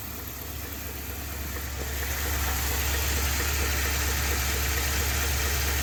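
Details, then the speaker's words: Ford F250 with 7.3 L Godzilla gasoline engine, after dealer repair (new oil pump, bolts left out of oil pan): steady deep idle with even tapping knock about three times a second, bottom-end knock suspected; dealer said keep driving, later replaced engine. "he started it up and it does not sound good they literally told him to keep driving it"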